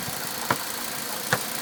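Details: Bone-stock Mitsubishi Evo X MR, noise began around 300 miles and is heard from the cabin at idle and when accelerating: quiet idle broken by two sharp, hard knocks under a second apart; cause unknown.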